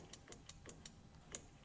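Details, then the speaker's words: 1961 VW Beetle barn find, ground lead put straight on the battery: a quick run of sharp, dry clicks about five a second with no cranking. A ground issue is suspected, so they jump the ground. "Okay, so we're just jumping this real quick because I think it's a ground issue."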